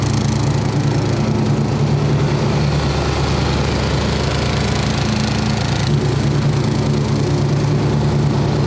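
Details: 1990s Snapper riding mower, Briggs & Stratton single-cylinder, carburetor rebuilt years earlier, new fuel filter, shut-off switch and air filter, sat for years: steady, even chug at constant speed, no misses, knocks or hunting; healthy normal idle.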